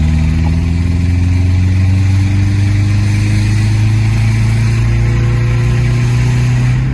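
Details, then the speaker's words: Old Nissan Pathfinder with 207,000 miles after something went bang while driving: deep, loud, chuffing idle with a heavy low rumble and raw blowing note; exhaust leak, owner hoped for a split back box, none found. "I think my exhaust is broken, guys. Right guys, so when we get back, we're going to have to get underneath this thing and find out where it's split."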